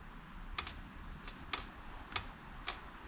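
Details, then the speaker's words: Abandoned Datsun/Nissan 720 King Cab 4x4 that sat about 20 years: the carburettor's anti-dieseling solenoid gives crisp, sharp clicks each time 12 volts is applied, four snaps in three seconds, working normally. "so we got to do the solenoid cuz it has one the anti-d dieseling so we got to give that 12"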